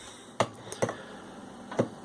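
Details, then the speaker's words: Marantz 4500 amplifier at power-on: a few sharp dry clicks with pauses in a quiet room, relay clicking repeatedly at switch-on before repair. "вмикаємо зрозуміло працює реле і воно працює і працює"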